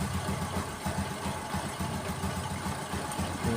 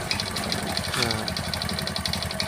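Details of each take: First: Honda Supra X 125 single-cylinder, piston ticking badly a month after rebuild, after piston pressing fix: steady even idle, soft regular pulses, no ticking; normal idle. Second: Honda Supra X 125 idling, engine rebuilt only a month ago: sharp, fast metallic tek-tek ticking over steady idle; clearly worn, loose piston slapping, to be remedied by pressing method.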